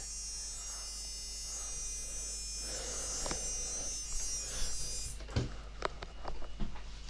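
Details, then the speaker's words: Homemade Arduino battery tester charger circuit: as supply voltage is wound up from zero, a continuous buzz then scattered clicks as the relay chatters with its drive wire not connected; relay buzzing without drive signal, problem under investigation. "oh that doesn't sound good [Music] that is the resistor the relay going crackers and it shouldn't be doing anything"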